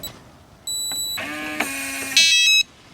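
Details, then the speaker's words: RV door keypad lock with beeps restored by holding button 1 again for about five seconds: clear high beeps with the lock motor buzzing between them on lock and unlock; normal operation. "now you should be able to lock and unlock the door and have the beeps back"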